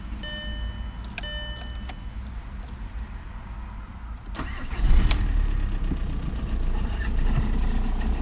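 Diesel idling with an uneven knock, roughly three to four a second, and a louder rattle midway; something's wrong, cause unclear.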